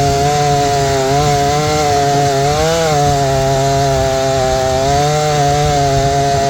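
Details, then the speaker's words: Repaired old Jonsered 630 chainsaw, 30-inch bar, aggressive full-house chain, cutting wood: steady high note dips briefly and recovers cleanly under load; owner suspects clutch-side crankcase seal damaged, as it wanted to die on that side. "I think this was doing pretty good because that's pulling a 30 inch bar with a pretty aggressive chain on it full com Full House chain that's filed pretty aggressive"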